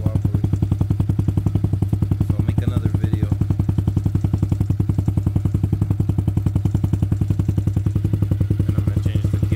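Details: Trailmaster Challenger 300 go-kart side-by-side single-cylinder after carburetor replacement and mixture adjustment: even steady thump about 3.5 beats per second, no misses or surging; idles smoothly on its own.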